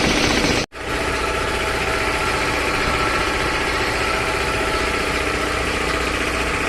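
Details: 3 HP LG-model air compressor after service (belt, filter, oil indicator and oil changed): steady, even pumping chatter with constant pitch after a brief dropout, no knocks or squeal; running normally.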